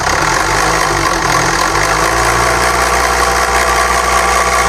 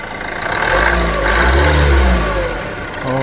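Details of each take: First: SAIC Maxus G10 with a Yunnei 1.9T diesel at 130,000 km, held at raised revs, has shaking, weak acceleration and a busy metallic rattle from the timing front cover, not the injectors; teardown found stretched timing chains and worn chain plates, which were replaced. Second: SAIC Maxus G10, Yunnei 1.9T diesel, 130,000 km, after replacing both loose timing chains that caused knocking, shaking and weak acceleration: smooth, even diesel idle with a brief rev, no knocking or rattle.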